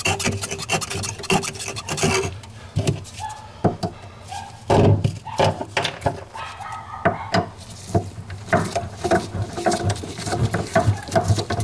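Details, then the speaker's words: GE refrigerator freezing up with a poorly cooling bottom section: harsh rasping scrape over low hum as the freezer fan blade rubs built-up ice. "see that ice right there that's the noise there"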